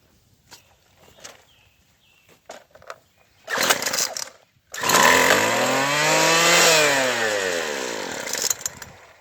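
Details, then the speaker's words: Craftsman Sim-Pull two-stroke string trimmer after carburetor replacement: fires after a pause, screams at high revs, then sags and won't hold a steady idle even after tightening the idle speed screw; low-side needle adjustment needed. "Nope, still not enough. So I'm gonna go into the tuning needles and adjust a little on the low side."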